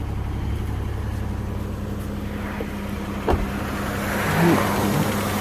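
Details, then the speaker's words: Engine just restarted after replacing lower intake and head gaskets for coolant loss and smoking: uneven, lumpy, shaky idle with irregular throb and shudder, a little smoke from the exhaust; rough idle, owner unsure if just burning off residue. "Ooh, and there she goes. Still sounds a little shaky, but there is no oh, yep, there's a little bit coming out the back."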